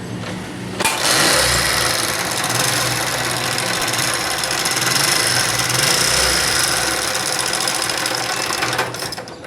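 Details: Honda CD70 70cc motorcycle before repair: busy metallic rattling ticks, about three per second, over the running note. Timing chain noise, fixed by adjusting the timing chain and oil pump sprocket.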